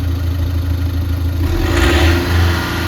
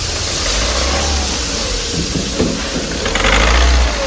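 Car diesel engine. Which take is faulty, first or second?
second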